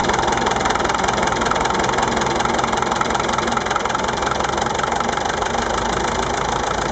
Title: MF-825, bruit moteur